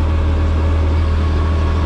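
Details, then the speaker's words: Porsche 911 GT3 Cup race car at idle with the clutch pedal pressed: steady, deep idle with no chatter; the racing clutch rattles only when the pedal is released, which is typical. "Nah ada suara berisik itu kopling kalau dilepas kalau diinjek dia enggak ada"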